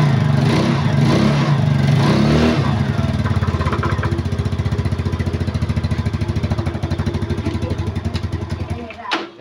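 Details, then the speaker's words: Known-good scooter running the owner's suspect CDI, swapped in from a bike that starts cold but not hot: starts, revs briefly, then idles evenly; the CDI is fine, so the suspicion was wrong and the fault lies elsewhere. "beneran ternyata sidiknya masih bagus teman-teman ya."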